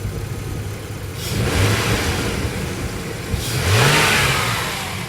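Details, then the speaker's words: Jeep Cherokee 3.7 V6 with original cat, revved under no load: two quick blips rise cleanly from a deep, steady burble and return smoothly to idle; healthy throaty engine. "i'm liking that liking that a lot it's hard to explain that's under no load when you put the car into gear and you actually are pulling the weight of the car it sounds glorious"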